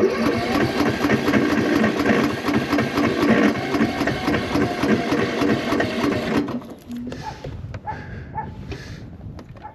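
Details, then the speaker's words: Cub Cadet tractor, very hard to start, corroded battery terminals, battery read 12.17 V, gas on: starter turns about four times a second for six seconds without firing; cranks but won't start, owner suspects battery is done. "no don't think it's going to do it okay yeah that batteries had it yeah I don't think that new jumper thing's going to do"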